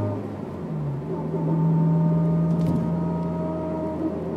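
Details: Honda S2000: steady mid-pitch whine over the engine, holding as car pulls under throttle, appearing only on the gas; drivetrain whine, owner unsure whether diff or transmission.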